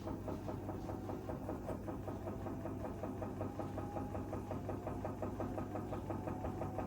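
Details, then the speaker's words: Empty washing machine on spin cycle: steady knock about three a second over low motor hum; rattling and gap show the drum detached from spider arms. "then stop the drum and move the drum pedals backwards and forwards if you can hear a rattling sound or if you feel a gap between the drum and the spider arms at the back that means the drum is det"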